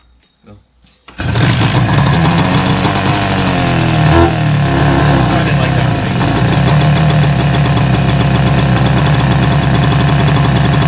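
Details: 1977 Suzuki GT185 two-stroke, abandoned, revival start on choke: engine catches after a second and settles into a steady, crackly two-stroke run at even speed; sounds healthy and clean.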